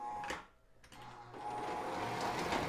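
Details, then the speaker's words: O gauge diesel locomotive (Lionel MPC/LLC or K-Line) under test: the motor whirs, skips and cuts out, then picks up unevenly, with squeaking and no immediate direction change. Sticky or dirty reversing unit suspected. "Yeah, just like that, how it skipped. And it doesn't want to change direction immediately."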